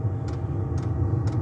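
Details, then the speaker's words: Diesel air heater in a box outside a house, burning kerosene on a -3°C morning, recorded outdoors: soft tick of the fuel pump about every half second, fan motor, and steady low roar from the burn chamber, even and unlaboured; running normally. "There you go. That's the pump ticking. The diesel pump, and you hear the motor going, and the roar from the burn chamber."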